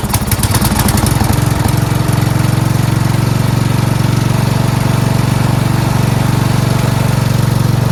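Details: 4WS lawn tractor after carburetor cleaning, fuel line replacement and ground fix: small single catches, then a steady even low thump at fast idle with no misses; normal running.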